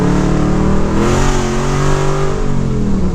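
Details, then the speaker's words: LS-swapped third-gen, all 8 cylinders running, not yet dyno tuned, rear gear changed 2.73 to 3.23; engine revs climb steadily under load without dropping, automatic not upshifting; TV cable and linkage checked, owner suspects governor gear. "I think we're down to it shifting kind of weird."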